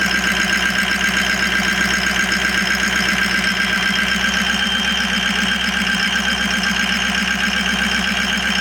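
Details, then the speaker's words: Ford E350 van 6.0 Powerstroke diesel after replacing all eight injectors for a cylinder 7 misfire: even steady clatter about 94 beats a minute with no skips; normal idle, all eight cylinders firing. "All 8 injectors are working. Listen to this. Sounds good to me."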